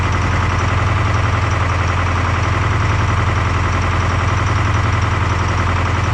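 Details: Detroit 4-53T turbo two-stroke diesel with 9G90 injectors on vegetable oil, low fuel pressure from loose suction hose clamp: loud rough lumpy idle, about three and a half pulses a second; running on three cylinders, injector number two dead.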